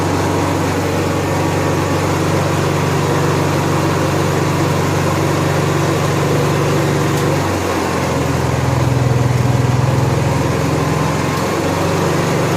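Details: Honda EXW171S welder generator, sat in a barn over 5 years, run indoors after choke warm-up: steady, even drone with a brief dip near eight seconds before settling; normal running, runs fine.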